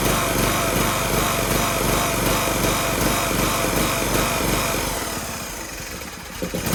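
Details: Toro Z420 Timecutter zero-turn mower, swapped replacement engine, first start with choke on, PTO disengaged: uneven, stumbling beat at fast idle, then revs sag and it nearly dies; running rough because the carburetor wasn't cleaned.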